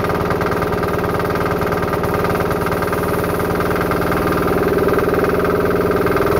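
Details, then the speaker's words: Diesel-powered air compressor after the leak was fixed and a check valve was eliminated so the pressure unloader works better; the clutch first failed to engage. Steady, even diesel chug with the compressor pumping smoothly, no hiss. Normal running. "Clutch did not want to engage there, but this system's working good."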